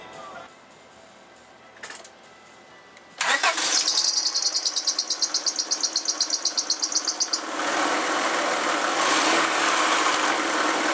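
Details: Honda Accord 2.2L/2.3L F22/F23 after timing belt, balancer belt, water pump and rebuilt alternator replacement: quiet, then fast even cranking chatter for about four seconds before a clean catch into smooth steady idle; normal start, power steering fluid burning off.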